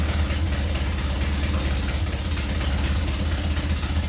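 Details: Nissan Silvia, after cylinders flooded with fuel and plugs were pulled: loud, raw, lumpy, uneven idle, needing throttle held to keep running; engine stalls without throttle.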